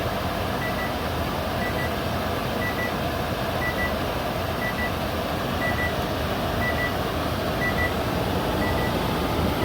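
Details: GE microwave from June 2011, used for 11 years: short high beep repeating about once a second over a low room hum at the normal end of a kitchen timer or time cook cycle.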